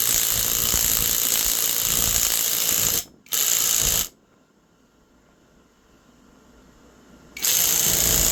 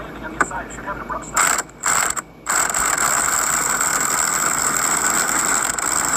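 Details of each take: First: Temu 1200 W impact wrench pressing a wheel hub onto the knuckle: fast, crisp rattle of hammer blows, steady under load with short pauses between bursts; the wrench hits strongly and evenly, normal hammering. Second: Cheap 1200 W impact wrench (rated 700 Nm) pressing on a wheel hub bearing: continuous rapid hammering buzz with a high whine under sustained load; owner unsure whether the strained, about-to-break sound is normal.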